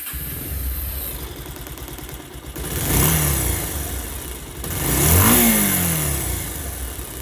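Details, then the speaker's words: Pulsar motorcycle engine after repair for a cracking, broken-up sound (balance weight/pinion suspected): revs twice and settles to an even, clean original whine with no knock or rattle; expected to improve further over the next few dozen km. "একদম original আরপিএমের একটা যে শিন শিন শিন সাউন্ডটা, ওই সাউন্ডটাই আসতেছে।"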